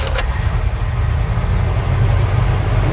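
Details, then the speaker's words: 1972 Chevy C20 small-cam V8 with a newly installed FiTech EFI, just after start. A loud, steady fast idle flares to about 1450 rpm after the crank setting was lowered from about 1550. Not extra rich; considered acceptable. "all that'll do is what that'll do is reduce the flare-up and rpm after start so last time it was like 15.50 this time maybe it'll be 13.50"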